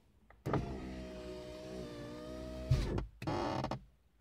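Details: Lada VAZ-2115 power window motor whirs steadily for about two seconds, then its pitch sags and a thump comes as the glass reaches the top of travel. Padding the window perimeter didn't help.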